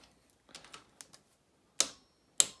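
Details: Honda Z50 Monkey top-end gasket rebuild: a few light ticks then two crisp clicks as the torque wrench breaks over at set torque spec; to be rechecked once warm.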